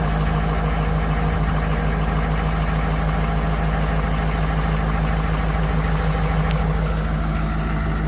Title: 6.7 powerstroke turbo whine on cold start